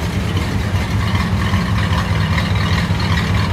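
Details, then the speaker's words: 1964 Studebaker Avanti R2 after Carter AFB work on sticking needles and seats and the accelerator pump, with the mixture leaned out for much better vacuum. In gear it idles at about 750 rpm with a steady, even low rumble and no misses or knocks; normal idle. "Go ahead and drop her in gear. Nice, right about 750. She sounds good."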